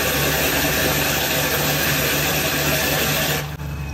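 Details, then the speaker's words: Camper van 12V Shurflo 2095 water pump (10 L/min) with expansion vessel added on cold water circuit, tap fully open: steady unbroken pump hum under rushing water, pump runs continuously, no pulsing or cycling; normal. "ça changerait la pompe elle se met en route constamment ça change rien"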